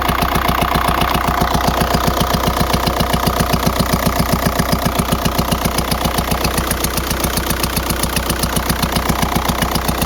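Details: 2004 VW Jetta TDI PD diesel at idle with a failed camshaft: sharp, very even rapping about twice a second over the idle, not an exhaust leak; worsened over weeks until it lost speed on highway grades.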